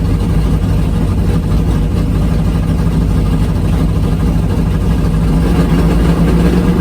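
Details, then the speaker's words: Drag race V8 idling on the return road after a pass: deep, lumpy idle with an uneven beat, one dead cylinder. "that's no good i'm sitting down here on the big end on the return road um as you heard i just hurt the motor listen yeah that's a dead hole"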